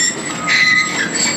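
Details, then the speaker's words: Tracked demolition machine on a school demolition site: high thin squeaks rising and falling as the tracks move; normal track squeak, and tracks should never be greased or oiled as that attracts grit and wears the pins faster. "we'll wait till the tracks stop squeaking and fun fact like when you hear the track squeaking people think you might want to grease your tracks you absolutely never want to put grease or oil on your tracks"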